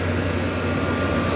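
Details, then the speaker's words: 1994 Whirlpool 2-ton (~25,000 BTU) R22 window air conditioner, Bristol reciprocating compressor just after first startup: steady even low hum with no knocks, running smoothly, with frigid cold discharge. "But yeah, this Bristol sounds pretty contented, and"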